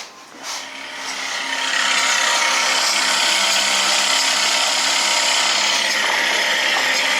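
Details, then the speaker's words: 1993 30 hp Evinrude outboard: harsh metallic rasp over the motor, loud, same at high rpm, like something scratching inside; not thought to be a bearing, cause not yet found. "You hear that, like, yeah, it's like a metallic sound. And at high RPMs, it's the same exact sound. Like something scratching inside the motor. I mean, and it's loud."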